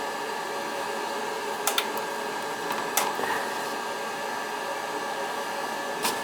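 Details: Riello oil burner on an NTI direct-vent boiler, annual service, running: steady airy roar with a constant faint tone, a few stray clicks, no pulsing or rumble; firing cleanly.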